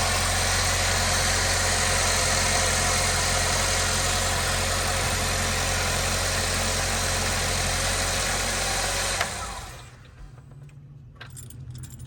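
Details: 2010–2017 Chevy Equinox/GMC Terrain just after serpentine belt replacement, started to check the new belt: steady even idle with smooth belt whirr, no squeal, chirp or slap; belt and engine running normally.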